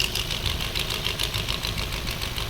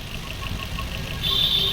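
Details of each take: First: Maruti Swift BS6 with CNG fitted, check-engine light on, idling before repair: uneven lumpy idle with irregular stumbles, engine trying to stall; coil check shows two ignition coils not working, only two cylinders running. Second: Maruti Swift BS6 with CNG fitted, idle after three ignition coils replaced to cure misfire: light, even idle with soft regular tick and faint high whine joining halfway; now quiet and smooth, no missing.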